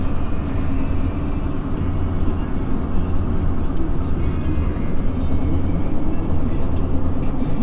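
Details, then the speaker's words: Duramax LMM diesel truck driving after engine swap: even, steady drone under road noise with no knocks, misses or surging; running good, only a small coolant leak from a fitting, since stopped. "She's running good so far. Had a little coolant leak."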